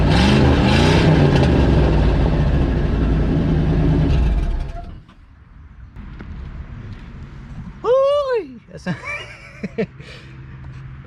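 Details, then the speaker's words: Old Ford F-150 with a previously seized engine, running with the muffler removed and exhaust pipe clamp popped out: loud, raspy, throbbing rumble for about five seconds before shutoff; loud exhaust without muffler. "sounds like a sounds rough rough sounds like me after bronchitis"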